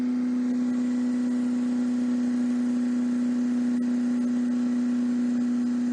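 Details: 1954 MG TF four-cylinder on a stand with no coolant. Steady, even drone at one speed with no knocks, misses or rattles. Oil pressure is around 45–50 psi, compression 162/157/157/156, and the engine is healthy with no rebuild needed.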